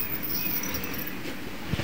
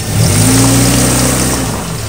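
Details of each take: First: 1997 Chevrolet Cavalier creeping forward: thin, high squeak over a low rolling rumble from the front brake pad wear indicators, small metal clips rubbing the disc, before the pads are replaced. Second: 1997 Chevrolet Cavalier test stops after new front brake pads replaced ones squealing from the wear indicator: only engine and tyre hum, no squeal or grinding from the brakes.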